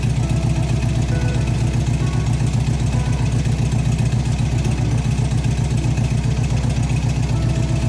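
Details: 1971 VW Bus Kombi flat-four with new exhaust, air cleaner and throttle return spring fitted, restarted after stalling on throttle; steady even low idle thrum about two beats a second, no misses or knocks. Healthy idle.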